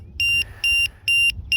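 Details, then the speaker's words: RC boat LiPo pack with precision voltage alarm: four sharp high-pitched beeps about twice a second; the low-voltage alarm triggered with one cell at about 3.66 V. "oh 3.8 3.73 6 okay so that's why it went off these are Z packs one of the cells is it 366"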